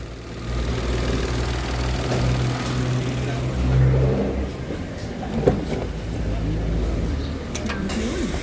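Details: Mitsubishi Mirage 2017/2018 automatic, after a lambda sensor circuit high check-engine fault and vibration complaint; steady idle with AC on holds an even low rumble, no stumble or shake; oxygen sensor reading good, running normally.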